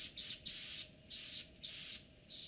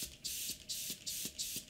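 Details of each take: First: Airbrush after tightening the loose air valve underneath: short, clean bursts of steady hiss that start and stop crisply, with no popping, sputter or leak between bursts; the airbrush sprays normally. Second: Airbrush with air pressure dialed down: spray hiss stutters about three times a second with clicking pops because the air valve underneath has come loose and isn't sealing; tightening it fixes it.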